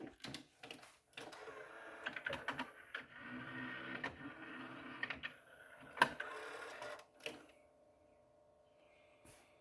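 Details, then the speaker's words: 1992 Sony TC-C5 five-cassette carousel deck. The motor whirs steadily (it spins constantly) under irregular clicks and clunks as the carousel indexes and loads: normal cycling. "So this thing is working great. It's sounding great, and you can see it go through its cycling."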